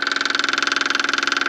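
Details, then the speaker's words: Caterpillar 299 compact track loader, newly replaced fuel lift pump: fast, even ticking about eighteen beats a second, steady, no stumble, as it pressurizes the diesel system; primes normally, not done so for a long time. "Right off the bat, I can hear it clicking away. Just want to let you guys know it uh has not done that for quite some time."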